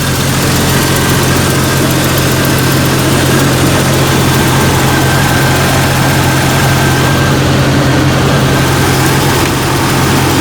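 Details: Jeep Cherokee XJ 4.0L that failed to start the night before, idling while the alternator output is checked, reading about 14 V, alternator good: steady low rumble with an even beat and no misses or knocks.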